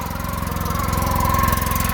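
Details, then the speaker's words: 2014 Polaris RZR 800 that sat in a field for years, milky oil with coolant mixing in, on first start: rough, lumpy idle with uneven pulse and faint high squeal; seller suspected the new, still-tight belt; something sounds wrong. "Oh man, does that sound bad. They said they think that the brand new belt is squealing. because it's still tight on there."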